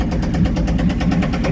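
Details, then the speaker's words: 1979 K5 Blazer first start after sitting, fed from a gas can via mechanical pump, has oil pressure: heavy rhythmic metallic clanging smack over rough idle; owner thinks it is external, maybe flywheel, not internal. "What in the world is smacking around? That is not internal, I know that. That sounds like something on the outside clanging."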